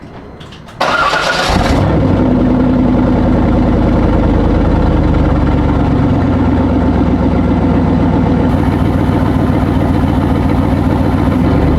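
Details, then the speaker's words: C5 Corvette with one side of the exhaust disconnected: engine catches into a loud, raspy, uneven idle with throbbing exhaust pulse; exhaust leak from the disconnected joint. "So as you can see, that doesn't sound great. Now I'm like, oh, do I really want to do it?"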